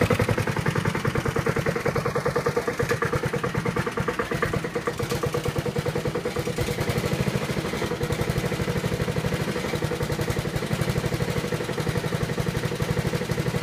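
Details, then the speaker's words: Honda HRT216 mower, stored outside since end of February with no fuel, just refuelled and cold-started (owner first thought a valve was stuck): slow even single-cylinder putter, no misses, idle screw fully down, lowest and smoothest idle it has run. "wow I have the idle on the ID on down the nothing so it's the lowest I've ever got this"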